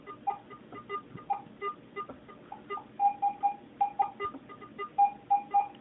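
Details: Garrett AT-Pro metal detector air test, zinc penny at about 9–10 inches from the coil. Short mid-pitched chirps repeat roughly twice a second over a quiet room: the detector still responding cleanly to the coin.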